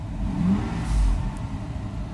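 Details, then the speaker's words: Mercedes 600SL after repaired E-gas module and throttle bodies: light throttle blip, revs rise and settle evenly, exhaust sounds fine; normal response, unit kept in vehicle. "I don't know if you hear if you hear the the exhaust but it's totally fine so we're definitely going to keep this unit in the vehicle"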